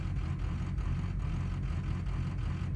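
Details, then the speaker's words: 6.0 Powerstroke diesel, warm, in park, 155cc plugged spill port injectors without a matching tune; deep idle rising and falling unevenly about every half second, a lumpy lope that raising idle doesn't cure, later fixed by tuning. "hello everyone this is what 155 plugged spill port injectors sound like when they don't have the proper tuned at idle arc"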